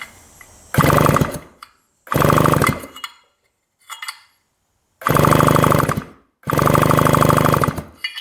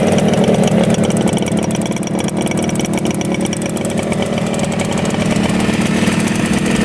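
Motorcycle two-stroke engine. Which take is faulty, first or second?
first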